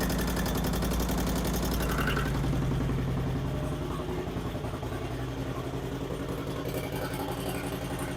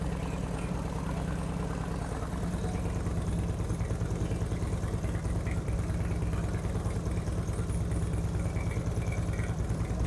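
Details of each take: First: 2008 Harley-Davidson Street Glide, first start after Screamin' Eagle 255 cam install: quick light ticking over the loping V-twin idle; cause unknown, pushrod adjustments thought correct. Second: 2008 Harley-Davidson Street Glide with Screamin' Eagle 255 cams, second startup after readjusting pushrod: deep steady loping thump about two beats a second, no ticking or clatter; revs crisper, no abnormal noises.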